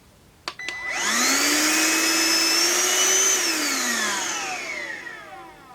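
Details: Deerma handheld cordless vacuum cleaner, reassembled: motor spins up to a smooth steady high whine, holds evenly, winds down cleanly; normal running.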